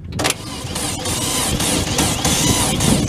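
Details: Late-1970s Chrysler Sno-Runner snowmobile, abandoned in a barn for 45 years, checked for spark while cranking: repeated starter bursts pull it through but it never fires or catches; no spark, and the battery is found to be flat.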